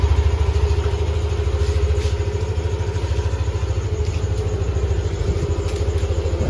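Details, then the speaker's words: All-stock Yamaha Aerox scooter idling on ZIC M9 4AT 10W-40 fully synthetic oil, before a short rev: steady, even low thrumming pulse with no knocks or ticks; engine calm and quiet, like brand new. "Yan, tahimik ang makina, parang brand new pa rin."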